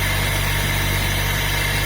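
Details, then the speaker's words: Car engine idling after the belt and a new tensioner were fitted to stop a loud engine noise: steady, even idle with a smooth low hum and no ticking, slapping or rattling. Noise gone, no more risk of the belt snapping. "tá parou barulho não vai ter perigo de romper a correia e deixar ele na mão"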